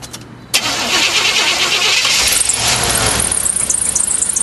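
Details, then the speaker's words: 1988 Chevrolet Suburban Silverado half-ton, 350 V8 TBI fuel-injected, previously run hot: cranks and catches, settling into a rough uneven idle with rapping underneath; engine knock after overheating. "1988 Chevrolet Suburban Silverado 350 TBI engine. It's got a knock in it. Was run hot."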